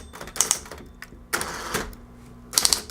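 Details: Smith-Corona Coronet Automatic 12 electrified manual typewriter with replacement power cord, motor and rubber belts running constantly; quick bright clacks in short bursts of electrically powered keys over a faint motor whir, working normally.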